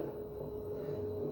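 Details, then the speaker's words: Mabe front-loading washer-dryer that made a loud noise when spinning, reassembled after repair, now at full spin: steady, even motor hum holding one pitch, with no rumbling or grinding. The loud noise is gone. "we continue here we already have our washing machine squeezing we see that it doesn't make any noise so scandalous as well"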